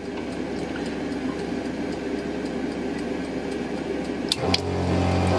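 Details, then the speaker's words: 12-volt kitchen sink water pump whose hum wavers and sputters, then locks into a steady tone. A corroded, flaky feed wire gives inconsistent amperage and runs warm. Speed fluctuating from corroded wiring. "so I think that this wire the corrosion of the of the elements of the wire is so bad that even when it does have a good connection it's flaky and the the amperage is all over the place see it should sound like that all the time"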